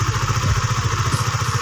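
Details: Honda Sonic 150, worn camshaft cover (from dry oil) repaired with an RXZ connecting rod, over two years and hundreds of km later: smooth, evenly spaced idle putter, about eight beats a second, no tapping or rattle; top end healthy, normal idle.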